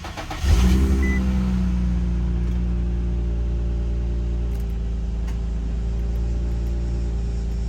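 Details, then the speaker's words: 2004 Infiniti G35X after drive belt replacement and tightening loose main belt tensioner: engine starts and settles to smooth even idle with AC on, fans and compressor turning, no squeal or chirp; belt noise fixed. "Let's see if it makes noise. I'm waiting. Nope. I think we're good. Didn't make any noise. Our fans are spinning. And our compressor's turning, so I think we're good."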